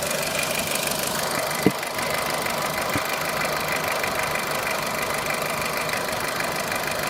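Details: Renault Clio 3 1.4 16V engine at steady idle with a busy, rapid, even ticking-knocking running through it; engine knocking, cause unclear.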